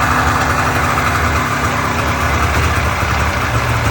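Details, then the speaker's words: Polaris Indy Trail snowmobile after carburetor and fuel-system cleaning for bad fuel, which had made it run poorly: even, steady two-stroke burble with no stumbles or surging, idling untouched; normal idle. "Not touching anything, and she's idling away. Didn't have fuel in the carbs, nothing."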